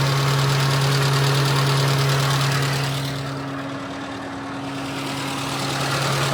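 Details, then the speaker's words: Nissan Be-1, 1.0L four-cylinder carbureted, about 74,600 km, timing recently recentered, hot day: steady, even idle with no odd noises and the radiator fan whooshing constantly; the fan seems stuck on, possibly a faulty fan sensor. "No weird noises, but you can definitely hear that the radiator fan is blowing."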